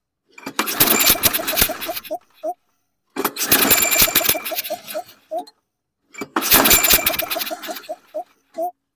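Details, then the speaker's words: 2009 Toro Recycler 20339 lawn mower with reported no compression: three pull-start attempts each give a brief rough sputtering catch ending in sharp pops before dying; owner thinks it is backfiring through the carburetor, not confirmed. "see it kicked off twice there but it sounds like sounds like a backfiring or is it leaking through the head think it's backfiring through the carburetor"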